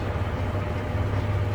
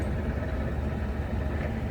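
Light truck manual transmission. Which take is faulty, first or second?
second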